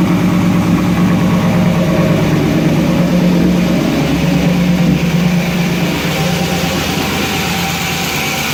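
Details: Toyota pickup with an LS V8 swap, first start after a new fuel sending unit was fitted, not yet drivable; stock Toyota buzzer sounding. Engine catches and settles into a steady, even V8 idle with a smooth low rumble and no knocks or misses: normal idle.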